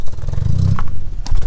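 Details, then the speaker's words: Audi S3 with the turbo not working, MAP sensor plugged back in: deep, uneven revving with stumbles and lumpy pulses, misfiring and running rough. Not fixed, so the MAP sensor is ruled out; turbo is the next thing to check. "misfiring [Music] it's running a bit rough to be honest"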